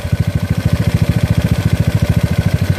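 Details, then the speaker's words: GY6 engine with OKO PWK 30mm carburetor, idle throttle screw being turned to lower the idle: low, lumpy putting at about ten pulses a second with uneven thumps, engine shaking a lot; rough idle. "so we're dialing it down you see that it's a different sound but"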